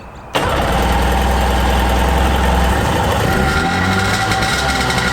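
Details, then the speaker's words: 1995 Sea-Doo GTX two-stroke on a water hose, started with choke after a manifold-to-pipe exhaust leak repair with new gaskets: it catches quickly into a steady, even run with no misses. It runs well. "Running good. Sounds good."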